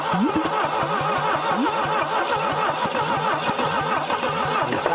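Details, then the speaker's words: 1968 SAAB found abandoned after decades, first start attempts: starter turns over too slowly with about four uneven compression pulses a second and never catches; low compression, owner suspects stuck rings. "but we're just fighting it turning over too slow we're fighting just no compression at that point too"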